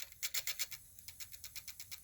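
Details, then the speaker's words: Sony D-15 Discman after lubrication, running in an odd orientation with boards unscrewed: fast light rhythmic scratching ticks, about eight a second in step with the disc, the disc rubbing on something; scraping suspected from orientation, cause unconfirmed. "it's uh scraping so I'm not going to leave it in that orientation for long but yeah it started playing"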